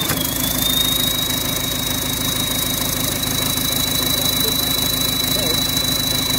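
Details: PSA diesel engine in a Mazda idling with a thin steady high whistle and harsh rattle; turbo damaged from lack of oil lubrication.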